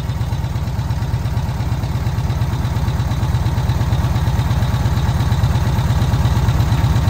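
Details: VW Kombi petrol engine on its carburettor after the jet (chicre) was swapped and the air adjusted on restart: a deep, regular putter at about three beats a second, smooth and even, slowly firming up; normal, healthy idle.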